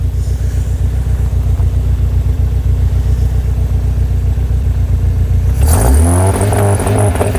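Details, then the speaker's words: Skoda Estelle 120 with Rover K-series engine, carbs previously dry: engine revs unevenly with stumbles and popping, spark disappearing above certain revs; intermittent spark loss traced to crank sensor/trigger wheel wiring connection making and breaking. "And it's doing exactly that, yeah. The spark disappears. That's an interesting one."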